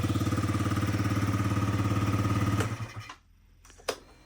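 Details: Yamaha Jog SA36 two-stroke scooter that wouldn't start after owner disassembled and cleaned throttle body and filter box, air filter removed; error light cleared, catches and runs smooth and even at idle briefly, then shuts off. Normal idle.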